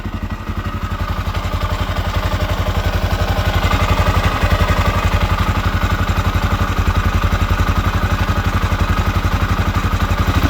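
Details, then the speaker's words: 1979 Honda XR500 single, freshly fully rebuilt, idling after top-end noise was addressed: steady even thumping about four beats a second, no more ticking, though still not the quietest engine; normal idle. "I don't hear any more ticking. Still isn't the quietest engine."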